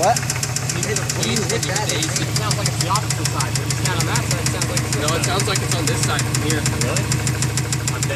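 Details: Subaru engine at idle with a fast, even ticking knock running steadily; source unidentified, possibly passenger side, cylinder number 4 suspected, unbalanced turbo also wondered about.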